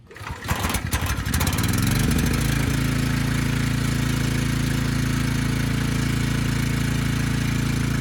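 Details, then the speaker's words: Briggs & Stratton Storm Responder generator, engine 21T212, after fixing a fuel-flooded crankcase that had it stuck at TDC. Governor spring backed off so it runs slow; it starts after a few pulls and settles into a steady putter. Initial smoke burned off. "okay that's all i wanted to see it makes power the engine sounds good it was smoking a bit but that burned off after a few minutes"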